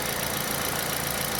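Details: Aging Kia All New Picanto idling after replacing the alternator with a MIRE unit for low charging, new battery; charging now reads about 14 V. Steady, even idle with smooth hiss, no squeal or chirp: normal idle and charging.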